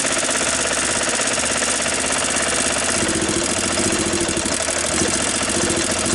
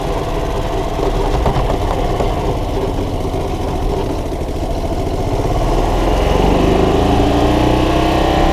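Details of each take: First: 1993 Club Car Precedent golf cart single-cylinder engine, after sitting over 6 months and no-start, running again after plug and carburetor cleaning and battery charge: steady, even idle with busy rattly exhaust beat, no misses. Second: 1993 Club Car golf cart single-cylinder gas engine, after carburetor clean, plug clean and battery charge; steady putt rising in pitch as it revs. Pedal shut-off is bypassed (wide open), so the engine keeps running when the gas pedal is released.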